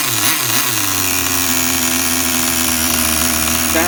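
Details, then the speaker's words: Tamiya TGS-R nitro RC car engine, carb at factory settings with new fuel: high buzzy blips that drop back to steady, even idle without stumbling; normal running. "good to me. Listen to that idle, people. Do you hear that idle? And that's factory settings. I haven't touched anything."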